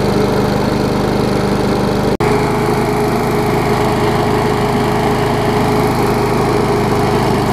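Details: Old Murray 22-inch push mower with transplanted ~3.5 hp Briggs & Stratton (originally 5.5 hp), revived after years unused, new muffler and fresh gas: steady, even buzzing run with no misses or surging; runs healthy.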